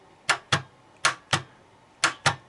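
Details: Starter on test, energized with a homemade button instead of the ignition switch: sharp paired solenoid clicks, about three pairs in under three seconds, with no motor spin; power contacts not closing or a fault in the starter itself.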